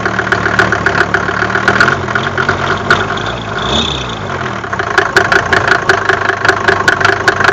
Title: Om605 knocking sound